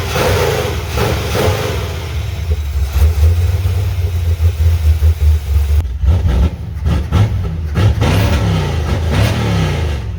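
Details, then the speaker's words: 1985 Chevy C10, stock short-block 350 with ZZ4 heads and cam, freshly fitted used Quick Fuel SS 680 cfm vacuum-secondary carb, no choke hooked up, unadjusted: crisp blips but revs hang and stumble; carb still has trash in it. "as bad as it's acting up i gotta say it does take the gas a lot better than that 750 did it's a lot more crisp now it is definitely got some trash in it still"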